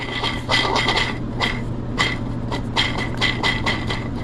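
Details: 2001 Honda CR80RB two-stroke bottom end: gritty, rasping scrape in bursts as the crank is turned by hand, a worn main bearing with debris inside; bearings, seals and piston to be replaced.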